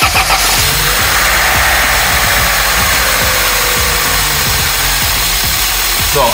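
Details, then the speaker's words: Opel Astra F petrol engine idling with an intake hose off: clear steady airy hiss of a vacuum leak; the hose runs to the air filter box, behind the filter, and reconnecting it fixed the hiss. "man hört eindeutig das Zischen."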